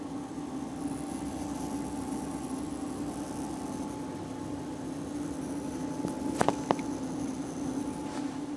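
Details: MCP655 pump in a series CPU water-cooling loop, recorded up close with the case side panel open: faint, steady hum near 280 Hz with a thinner higher tone, unchanged throughout; electrical noise, cause unclear.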